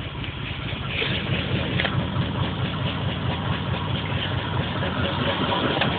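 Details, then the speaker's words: Engine after new spark plugs (old ones black, smelling of gas), stock ECU with patch harness, P0300 and pending P0300 random misfire codes: irregular lumpy idle with occasional stumbles; misfire rough idle, cylinder not identified. "so that's the misfire code so it's both misfires but it's not it's not saying what song it's misfiring at"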